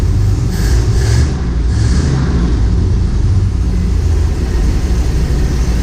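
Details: M37 Dodge after carburetor refresh and accelerator pump replacement: deep steady rumble, a couple of quick revs picking up cleanly and settling; normal running.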